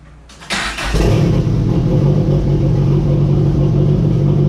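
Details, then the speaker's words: Mitsubishi Starion/Conquest turbo, after new relay fitted to get cooling fans working, temperature a little over 180: fires within a second into a smooth, steady low idle with no hunting or knocking; normal idle. "So as you can see, it's idling beautifully."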